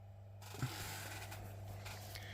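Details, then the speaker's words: Capehart radiogram turntable motor under restoration, spindle spinning on a temporary mains hookup: quiet steady low hum with a smooth even whirr and one light click; the motor spins freely and runs healthy. "As you can probably clearly see, the spindle is whizzing around."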